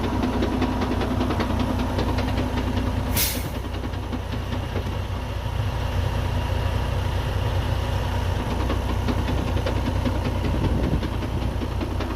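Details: Freightliner Cascadia with 13-speed Eaton transmission idling: loud, loose irregular knocking and rattle plus air hiss, especially with clutch released, from mid-truck; broken internal transmission gear teeth.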